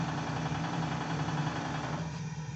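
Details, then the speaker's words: Live-steam RC Clyde Puffer coaster Kilchoan (11 kg), first test after leak sealing and new accessories, engine at full ahead: soft, steady chuffing pulse with even rhythm, no stumbling. Normal running. "alors voilà machine à fond avant vous entendez son rythme"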